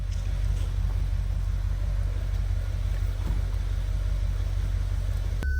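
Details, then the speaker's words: Audi S5 V8 after in-tank Bosch fuel pump replacement (old pump wouldn't spin on 12 V): smooth, even low rumble at idle, no stumbling, short beep at end; normal idle. "main thing was getting the car running and so far it's running"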